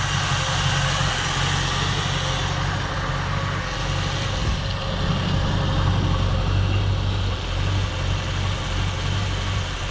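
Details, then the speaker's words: 1967 Ford Galaxie 500, 289 Ford V8, warming as the thermostat opens during the 30-minute break-in: low steady idle with a slight lope and small unevenness; owner thinks the carburetor idle screws may need adjusting. "Seems like maybe the adjustment on the carburetor idle screws or something needs to be made for it to idle a little bit smoother."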